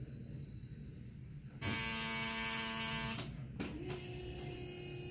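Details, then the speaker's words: 1974 Alfa Romeo Spider Veloce, 10K original miles, stored 30 years; electric fuel pump buzzes sharply about 1.5 seconds then stops, priming to build fuel pressure before run test; engine getting gas, possibly flooded earlier. "It's getting gas. All right, a run test. I'm gonna have to get the fuel pressure up there."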